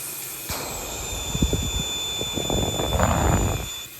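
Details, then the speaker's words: Big block Mopar 500 stroker (440 Source kit, aftermarket crank), crankcase pressurized to about 10 lb after its first run. A faint steady hiss under handling clatter as air escapes. Rear main seal leak; Fel-Pro rubber and Viton seals would not seal. "come on there they are right there you can hear it's leaking"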